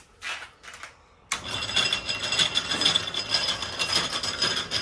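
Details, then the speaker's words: Drummond Type B mini lathe with an aftermarket bolt-on drive: a light, quick clacking about twice a second over the whirring drive, in step with rotation. It comes from the engagement tab between the three-step pulley and the gear, possibly adjustable; otherwise fairly quiet. "So, the noise you can hear, there's an engagement tab between this three-step pulley and this cog here. Gear here. Um, I may be able to adjust it and take some of that knocking out, but other than that, pretty happy."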